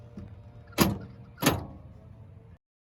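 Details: 1986 Chevrolet C10 stepside after replacing a door lock actuator and repairing one cut and two broken wires in the cab-to-door crossover: two crisp, quick clunks about two-thirds of a second apart, locks snapping firmly; working normally.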